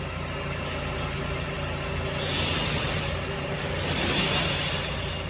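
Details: Mazda CX-7 2.3L petrol engine running with a dull, uneven knock a bit over three a second under the drone; teardown found badly worn rod bearings (low oil level blamed).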